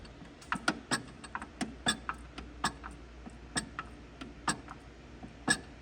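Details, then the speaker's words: Turbo Hayabusa (Busa) race bike gearbox turning: uneven sharp ticks about two a second over quiet background, an extra noise in every gear; transmission ticking, source unknown. Output shaft shows no cracks or wobble; owner suspects a shift fork, not confirmed. "I don't know if you can hear that extra little like extra noise there that noise has done that in every single [Music] gear and I don't know what it is"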